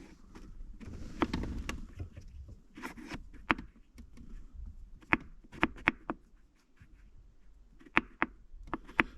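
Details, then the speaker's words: 2013 Jeep Wrangler JK six-speed manual: loose, uneven plastic clicks in short bursts as the chrome shift knob, inside ground out and egged, rattles on top of the lever; same rattle heard driving, stopped by holding a hand on it. "that's the rattling that it's making so it makes me feel like it was rattling around that's definitely the noise it was making and also when you were driving if you put your hand on it it would stop"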